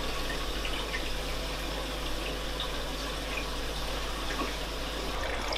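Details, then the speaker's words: Cade Pro Reef 1200 aquarium sump, main drainage line gate valve adjusted back until the gurgling stops: now only a soft, steady, even trickle of water with no gurgling or surging, a quiet drain flow. "what we have to do to fix that is to adjust our gate valve on this main drainage line and we're just going to turn it back to the point that that noise stops"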